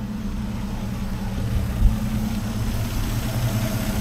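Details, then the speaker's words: Rover P4 with electronic ignition, running but not smooth, only slightly better after one culprit changed: uneven, lumpy idle with a low throb and occasional stumble; ignition misfire blamed on old Bakelite spark plug caps with poor contact. "so I got her running at the minute and she's not as smooth as she could be although she is a bit better now"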